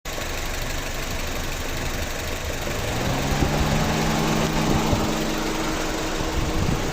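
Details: 2015 Honda Civic at idle: loose, uneven tapping about three times a second over the low engine hum; unexplained engine noise, cause unclear.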